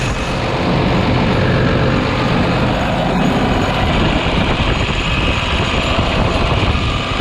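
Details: New Holland T7040 tractor after an engine swap, fired up after the final bolts were tightened and needing ether to start. Loud, even diesel roar at steady speed with no knocking or grinding: normal running.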